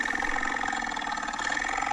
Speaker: yeah it's that's a dying blower motor okay at the end of its life huh